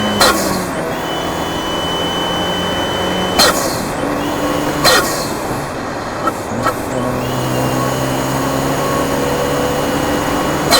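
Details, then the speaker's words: Fiat 124 Spider Abarth, tuned (tune unchanged), after fix: wastegate actuator spring swapped yellow to purple and BOV crack pressure lowered from about 11 to 9.5; steady pull with clean whooshes at gear changes, no stutter or low-rpm surge; boost normal. "so as you can hear it's smooth both the issues i had the blow off low rpm surging the higher rpm with the wastegate actuator going off it was all fixed from swapping out those parts and putting the right springs in"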